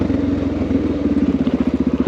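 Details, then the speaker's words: Honda XR650L 644cc air-cooled single coasting down long hills in second gear with no throttle: even rumble and steady throb on overrun with no pops or backfires; jetting about right, normal closed-throttle deceleration. "can tell that jetting's fairly in the ballpark just have a listen you'd hear popping right now if things were not right"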